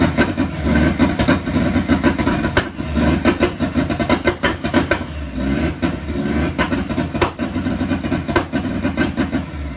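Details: Mk1 Ford Fiesta with a Zetec turbo engine at its first start on all cylinders: ragged, surging revs with irregular bursts and stumbles as the throttle is blipped; untuned engine running rich and rough.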